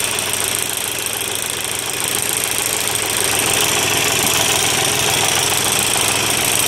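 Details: Volkswagen diesel at idle: a sharp, regular metallic clatter about three beats a second over the diesel rattle; broken spring in the timing-belt-driven injection pump, which is to be removed and sent to a pump specialist.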